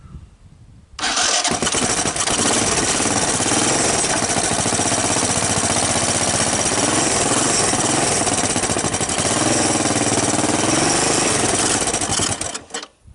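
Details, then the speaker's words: 1983 Honda ATC200E, long-stored barn find, cold start on choke with a brand-new carburetor and portable CDI box, no starting fluid, oil in the cylinder: catches almost at once into a steady, even single-cylinder putter, a little smoke; starts and runs fine. "I'm happy that she started."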